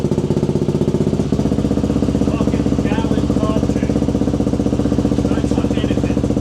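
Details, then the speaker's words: KTM two-stroke enduro bike, previously unstarted for about a year, after carb cleaning, air filter sorting and throttle cable adjustment at the carb. A steady, crackly idle with even firing at about four pulses a second and no misses or knocks; running healthy. "Also, the main point of the video, the bike now starts really well. And the throttle is very crisp, as you can see in the video. So that bit is running bang on."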